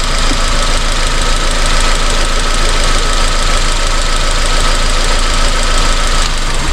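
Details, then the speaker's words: 2002 Honda Civic with loss of power and misfire codes P0300–P0304, new spark plugs, after swapping coils between cylinders: uneven loping idle with irregular puffs, one cylinder dropping out; faulty ignition coil, all four coils replaced. "Alright, I switched them. Let's start it up. Yeah, still definitely missing."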